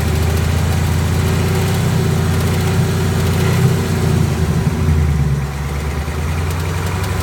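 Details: 2018 Ford Mustang GT V8 idles with a deep, steady rumble and a faint, loose rattling tick on top; dealer held it 10 days awaiting Ford's answer, cause unknown.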